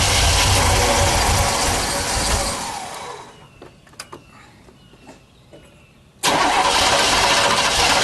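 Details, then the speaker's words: Car with a newly fitted electric fuel pump after vapor lock with the mechanical pump: fuel pressure fell to about zero, fuel starvation suspected with low fuel below the pickup; churning crank that fades without catching; cranks but won't start. "I'm gonna try to crank it a bit and see what happens but I gotta run to the other side of the car and it looked like it was at basically zero pressure"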